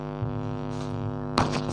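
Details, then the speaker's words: TA4440 IC amplifier with steady low mains hum and a ladder of even overtones running under everything. "इस तरह से humming ए रही थी तो ये हमें क्यों ए रही थी तो मैं आपको उसी के बारे में थोड़ा डिस्कस करूंगा ये हमिंग क्यों आती है"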